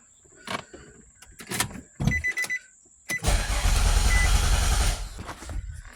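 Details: Nissan Altima race car with a charging problem, after cleaning and reconnecting a connector: a few clicks then nearly two seconds of steady churning crank that never fires before stopping; crank no start.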